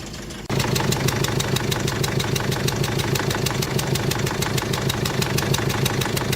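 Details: 2001 Mercedes Sprinter W903 diesel, 231,444 on the odometer, cold start after sitting since early 2019: idle with a sharp, regular chuff-and-tick about three times a second and a little smoke. Injectors chuffing comically badly, typical of injector seal blow-by.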